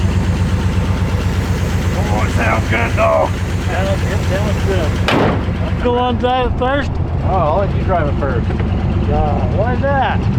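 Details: 1968 Oldsmobile 442 (Cutlass) V8, engine previously locked up, with suspect ignition points; on its first run it holds a deep, even burble at steady idle with no misses or knocks, partly masked by voices and noise. Normal idle.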